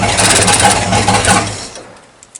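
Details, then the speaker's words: 1979 Ford F-series Dentside truck, newly installed carburetor, just started cold: rough loping idle that sags and chokes out within seconds; running rich from float set too high. "I think the float set too high again just choking it out at"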